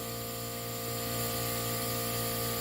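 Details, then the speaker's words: 2016 Land Rover Discovery Sport 2.0L turbo gas engine, dead engine after VVT actuator and timing failure; leak-down test reads 35, with a constant airy hiss of air leaking past a valve; bent valve or carbon suspected. "You can hear it leaking out. Now we got to figure out, is this bent valves or carbon?"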